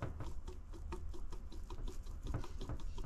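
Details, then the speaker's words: Cummins 6.7L turbo diesel turbocharger spun by hand: fast, light rattling patter from worn bearings letting the shaft play; turbo shaft play. "but that is some turbo shaft play right there um which is not necessarily good"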